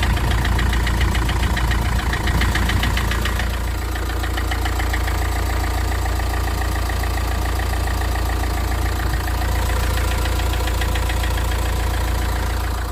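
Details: Vauxhall/Opel Vivaro 1.9 diesel at a cold idle: a steady knock of roughly three to four a second over the diesel clatter; source of the knock not pinned down.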